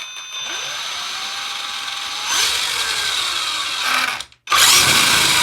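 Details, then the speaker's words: Axial Ryft RC crawler with a Holmes Hobbies 2100kv 540 XL Puller Pro brushless motor and a Castle ESC, BEC at 7.5V, on 3S, first spin-up: a thin high whine rises and holds steady, the typical Castle whine. Normal brushless ESC whine. "Definitely going to have the Castle whine to it for sure. But, wow. Let's get this thing outside. With this setup in here, we're going to hear that Castle whine, of course."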